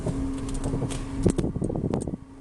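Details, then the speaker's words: Renault Zoe driving over a dug-up dirt road: dull clunks and rattles in uneven bursts over bumps under road rumble; several workshops found nothing, a mechanic suspects worn stabilizer links. "Ми проїхали буквально 100 метрів він то послухав каже напевно то стойки стабілізатора"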